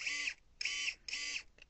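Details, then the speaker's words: Electric pruning shears after quarterly maintenance and greasing, blade pivot bolt not yet tightened: three quick high-pitched loose rasping snips; tightening makes the sound louder and different, so tension is set by ear or with a torque wrench to spec. "ça va faire ce bruit là. Et plus on serre, vous voyez, plus le bruit devient fort et différent."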